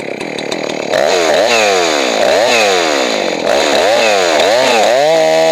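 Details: Johnson Red 670 two-stroke chainsaw after Tillotson carburetor rebuild and tuning: snaps cleanly up and down through repeated revs, about four a second, crisp pickup with no bog. Normal chainsaw running, well tuned.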